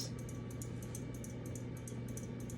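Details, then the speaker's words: Ceiling fan (unknown baseball-themed fan from 2013) on high speed: steady low motor hum with light, fairly regular tapping; fan wobbling badly with bracket moving as not fully seated. "So this high speed is annoying because I can hear it taps."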